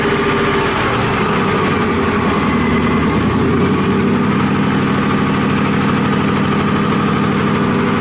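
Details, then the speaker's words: Cobra project with Holley setup on first engine start: idle sags and hunts before settling shakily, not idling properly; idle air control setup at fault, resolved after working through conflicting documentation. "what you probably could see there is that the engine started up and didn't idle and it turned out to be quite the ordeal to to get it sorted"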